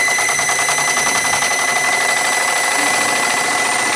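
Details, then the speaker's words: Wilesco D32 model steam engine converted from electric to gas firing, running on live steam: steady high-pitched squeak over fast, even chuffing; squeak stops when the generator is stopped, so owner suspects the generator and plans to take it apart. "that bit of a squeaking in here is I think I need to take the generator apart I'll stop the generator squeak's gone squeak back I think I've got to do something in there there bit of a squeak coming from there"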